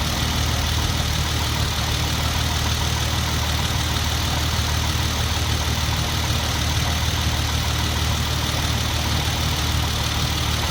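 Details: Hyundai Genesis Coupe 3.8 V6 at steady idle, cold, in winter: a light, uneven knock about two a second starts, then dies out after 5–10 s. Owner suspects an accessory-belt-driven part or the A/C, and notes a refrigerant odour; fan ruled out.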